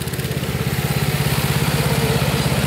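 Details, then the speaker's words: Old Snapper rear-engine rider with a 28-inch deck and Briggs & Stratton engine: steady, even single-cylinder putter with regular firing, no smoke and no misses. "no smoke running perfect"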